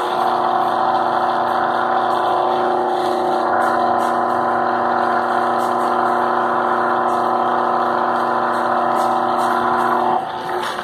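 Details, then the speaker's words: Ventisol wall fan motor running until switched off: steady hum with a rough, uneven drone from a loose, worn bearing. A fuse had blown, and the fix is to replace the motor. "dá pra você sentiu barulho do rolamento"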